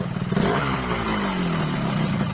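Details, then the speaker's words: Yamaha RX King two-stroke after replacing the crankshaft seal to cure heavy smoking; revs rise and fall cleanly with no misfire or knock. It runs smooth and no longer smokes heavily: normal running. "Jadi walaupun 2 tak ya tetap nggak berasap bro. Dan suaranya udah halus juga nih bro ya."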